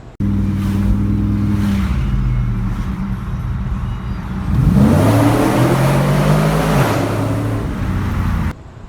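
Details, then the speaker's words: Car engine at the Woodward Dream Cruise suddenly develops a bad noise; owner suspects an accessory. Rough grinding rises over the engine as it revs and follows speed. Cause: a backed-out bolt at the power steering pulley rubbing. "I'm all the way back to the hotel and all sudden my engine starts making up really bad noise I'm not sure why"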